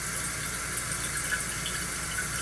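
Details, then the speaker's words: Toilet with the tank already full to the top: constant hiss of water flowing in that never tapers off; the fill valve is not shutting off, with the Kohler 83143 seal diaphragm suspected. "the water's coming in here this valve is not shutting off"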